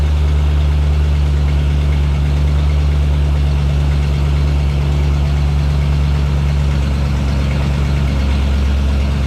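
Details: 1989 Jeep Wrangler YJ fitted with new ACES EFI, first startup after install with ignition timing set to 15° advanced, before idle air linkage adjustment; smooth, deep, even idle hum with a steady beat and no misses or roughness, healthy idle.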